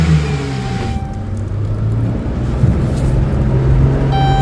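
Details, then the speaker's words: Chrysler Town & Country after installing a new muffler to replace one with a large rust hole: smooth, deep exhaust note rising evenly with revs, no rasp or leak puffing; exhaust now quiet and normal. "Should be a quieter car now with a more smooth sound with acceleration. Oh, yeah. That's quiet."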